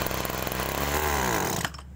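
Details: Agricultural sprayer small two-stroke engine: buzzes, then pitch sags and stumbles ("ngok") when throttled before dropping off; carburetor bogging on acceleration, a common fault on sprayer engines.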